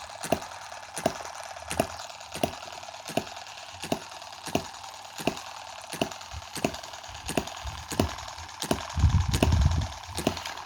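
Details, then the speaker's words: Tiny Chinese M17 4-stroke gas hit-and-miss model engine, oiled and with no water in the hopper: sharp single firing bangs about every three-quarters of a second, roughly fifteen in eleven seconds, evenly spaced. Normal hit-and-miss running. "but what a what a great little engine for a kid I mean you can get it running this well"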